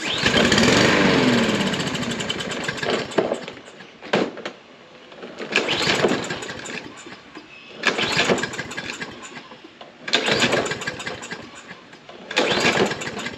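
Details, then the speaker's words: Troy-Bilt mower, Briggs & Stratton engine, sat 3–5 years, fresh gas: fires and runs a couple of seconds, fades, then repeated pull-start bursts fail to catch; won't keep running, carburetor suspected, not confirmed. "starts so for some reason or that it won't keep running"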